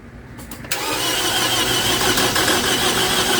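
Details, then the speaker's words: 2011 Toyota Camry 2AR-FE after replacing lifters and rocker arms, battery disconnected; engine spins fast and even with no firing, cranks but won't start; owner hears little compression, suspects lifters or a switch. "Okay. No compression. Like, literally. No compression. Literally, as you can hear, no compression."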